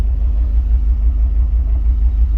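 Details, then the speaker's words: Jeep Wrangler petrol engine at idle: a bi-directional scan tool cuts fuel to one injector, giving a low, uneven, lumpy rumble from a single-cylinder misfire. "You can hear it misfiring."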